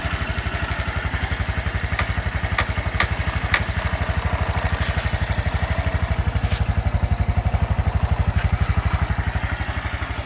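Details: Honda Super Cub 110 JA07, fuel-injected, fully stock, start-up check at idle: a steady, even putter at about four beats per second with no knocks or rattles; a normal, smooth idle with no abnormal engine noise.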